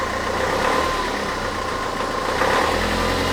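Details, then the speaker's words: Renault Trafic diesel just after the engine was rebuilt and refitted, at idle: a steady, even clatter that runs round, with no knocks or odd metallic noises, which is normal. "mais franchement il tourne bien il tourne rond il y a pas de d'acou il y a pas de bruit métallique bizarre pour l'instant je suis content"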